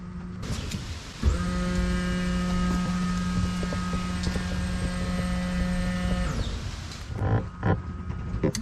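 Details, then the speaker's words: 1987 Chevy Blazer, SBC 350 crate engine with new FiTech EFI and fuel system, pump primed by button before first start to check for leaks: steady even electric hum of the rear in-tank pump holds, then stops cleanly; normal operation. "okay okay are you ready you want to hear the noise yeah you hear it oh I hear the pump back there"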